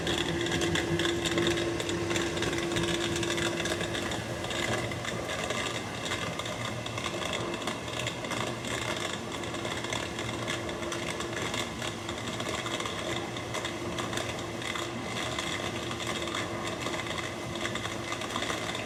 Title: Maytag dishwasher making a grinding crackling sounds